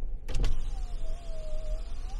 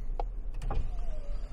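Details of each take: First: Passenger power window lowered via Foxwell NT809 scan tool active test: a clunk, then a steady motor whine dipping slightly in pitch as the glass travels down; normal operation, though the regulator needs replacing and slows near the top. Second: GM truck passenger window driven up via the scan tool's door-module actuation test: steady motor whine sagging in pitch and slowing near the top because the window regulator is worn; it still closes fully.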